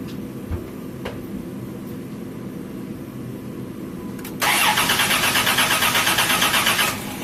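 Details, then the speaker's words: Car (about 150K replacement interval suggested) that suddenly would not start: fuse and relay checked okay, engine cranks about eight pulses a second for under three seconds without catching; fuel pump not running, pump suspected. "Alright, so you see still nothing. So at least I know that the fuse and the relay are okay."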